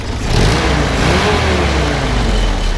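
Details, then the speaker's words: 1952 Willys M38 military Jeep with its original flathead four, 24-volt generator, revved briefly: smooth rise with a deep, even exhaust note, then settles back, sounds great. Normal rev. "you know sounds great and honestly it's really fun to drive"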